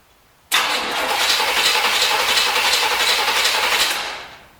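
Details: 1973 Corvette bought on eBay cranks about four beats a second for three seconds without firing. There is gas in the carb and a hissing noise; owner suspects water in the fuel, wrong firing order or no compression.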